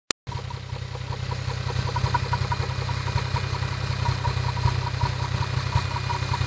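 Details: Toyota 1JZ-GTE VVT-i engine at idle: light regular tapping, about three or four knocks a second, over the low engine hum; engine knock.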